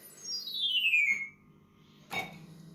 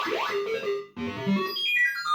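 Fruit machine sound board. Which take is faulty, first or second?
first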